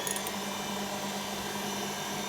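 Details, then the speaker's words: Hotpoint Aquarius WMA32 washer after the damaged motor tacho cable was resoldered: even, smooth motor whir with steady drum noise and no knocks or scraping, though a slight wobble is visible. Normal wash tumble. "sounds quite nice actually not too bad you can see down there there's a bit of a wobble"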